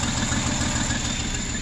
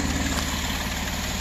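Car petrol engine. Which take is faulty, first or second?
first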